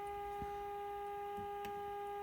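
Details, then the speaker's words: 1951 RCA Victor Nipper II tube radio during repair, IF alignment with the output measured: a clean, steady mid-pitched tone with faint mains hum. This is the modulated test signal passing properly while being peaked. "I know that that's a very annoying sound but that's the sound of the modulated signal and we can adjust this"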